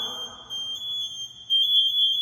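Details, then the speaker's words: Firefighter PASS alarm after 10–15 seconds motionless: shrill steady tone near 3.5 kHz growing noticeably louder after about a second and a half, escalating toward full alarm. "so sometimes like if he's just standing here it'll beep but if he's hurt and doesn't move it will start beeping louder and louder and louder"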